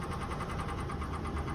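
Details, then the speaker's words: Honda Accord at a tow auction, started without a jump and moved back and forth; quick, even ticking over a rough idle at several beats a second, a knock or tick in the engine of unknown cause: engine tick at idle. "Got a knock, a tick in the engine, as you can hear on this one."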